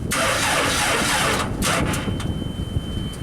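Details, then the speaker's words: JLG Baby Scissor lift small engine, cold day, crankshaft position sensor reinstalled; steady starter churn about three beats a second but it never fires, scanner shows no crank signal; sensor suspected too far from flywheel teeth. "Let's crank this thing over, see if it fires up, and if we have a crank signal. We do not have a crank signal."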